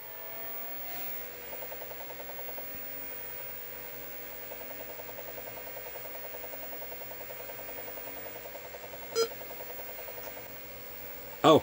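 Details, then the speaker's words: Tandy 1000HD's full-width half-height hard drive at power-on, before repair: a quiet whir with evenly spaced stepping ticks and clicks shows a normal spin-up and seek, though the drive takes a long time to actually boot. "now there's a weird thing even though she seeks right away and gets ready to send a signal to the central processing unit that everything's cool it takes quite a while before it actually seeks and boots"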